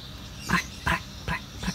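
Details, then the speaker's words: Acer laptop with a corroded left speaker gives four harsh, buzzing crackle bursts ("prek-prek"). Blown laptop speaker, likely torn or burst. "Prek-prek-prek-prek seperti itu. Itu kemungkinannya sobek ataupun jebol ya."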